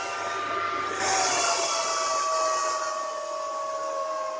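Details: Bitmain AntMiner S9 Batch 3 (12.93 TH) on an alternative PSU, still booting with fault light blinking: loud steady fan rush with a few whistling tones drifting slightly as fans settle; normal startup fan noise.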